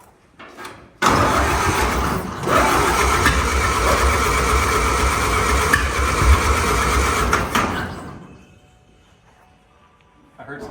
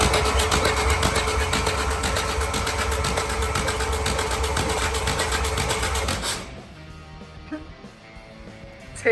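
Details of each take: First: 1929 Ford Model A, said to be locked, positive-ground, decent compression in all four cylinders, no oil in engine: about seven seconds cranking with uneven pops, never runs; plugs suspected wet, fuel dripping from exhaust. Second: 1929 Ford Model A, reportedly locked up, turned over with the starter for about six seconds: an even chug about four times a second. A finger check shows decent compression in all four cylinders.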